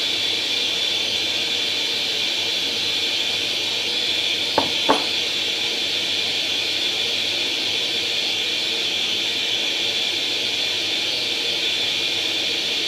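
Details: Atari 800 XL after a RAM-chip transplant fixing a 5V-GND short, loading International Karate from cassette: steady high-pitched hiss and whistle with a couple of clicks, unchanging throughout; the game then starts; normal cassette data loading tone.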